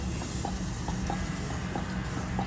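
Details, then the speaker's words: 1974 Triumph TR6 after sitting for years, running on fuel of unknown age. Light, regular ticking about two or three times a second with the engine off. The fuel pump is priming normally, pushing fuel up to the carburetors. "I can hear the pumping now. So now it should start."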